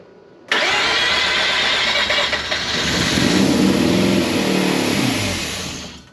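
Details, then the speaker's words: Mazda RX-8 after draining bad fuel and refitting fuel injector O-rings: cranks and catches straight away, revs briefly, then sags and stalls within about five seconds; fuel system seems fine, eccentric shaft position sensor code returned, spark plugs dirty, one cracked. "up all right guys so the fuel system seems to be functioning normally cuz the car is consistently starting up but it is still stalling out and now the code for the Ecentric shaft position sensor is back"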